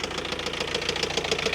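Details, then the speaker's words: 2021 Ford Transit diesel van bought as a non-runner, water found in cylinders, running on a borrowed turbo with air in the fuel system: loud hard knock about seven times a second over rough idle; engine knock, suspected top end. "oh on four now top end's a bit Taffy she's a bit knocky don't sound too good at the minute but it does sound like it's top end just let it tick over"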